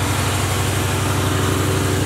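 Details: Box Chevy build, engine cranked up again; steady, even low rumble with no misses, knocks or stumbles: smooth normal idle.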